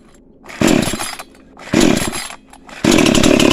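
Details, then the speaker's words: Cheap model 5200 two-stroke chainsaw, freshly started after choke use, only carb idle/throttle screw turned down slightly, mixture needles untouched: three clean throttle blips from low idle without bogging; starts easily, running normally. "ก็คือสตาร์ทติดง่ายดีนะครับผมแล้วก็ส่วนคาบูเนี่ยพี่โตปรับแค่ตัวคันเร่งให้มันเครื่องมันเบาลงนิดนึงแค่นั้นเองนะครับผม"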